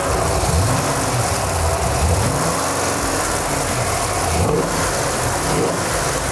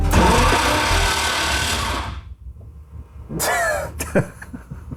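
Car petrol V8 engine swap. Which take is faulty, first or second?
second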